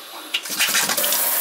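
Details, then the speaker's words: Kitchen faucet that vibrates and makes noise when turned on: short hissing, spitting splash as the water squirts out instead of flowing smoothly; fault could be in either the diverter or the sprayer. "see how it squirts out like that? Yep. So it could be in this diverter here that's bad, or the sprayer, but I'm done."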